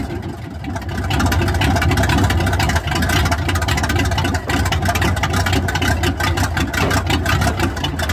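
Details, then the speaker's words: Squarebody truck small-block V8, after headers installed with silicone as gasket: even, steady engine note, quiet up front by the fan with no puffing or ticking; header flange exhaust leak fixed, running normally. "Sounds nice and quiet up front by the fan now. That's good. No more leaky flanges."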